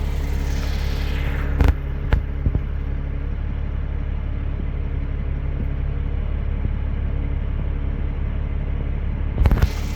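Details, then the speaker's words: 2002 Porsche Boxster 986 at operating temperature after throttle body carbon cleaning, previously hunting 550-800 RPM: deep, even idle steady around 700 RPM with a couple of brief clunks; normal idle. "it's uh it's idling where it should around 700 RPM"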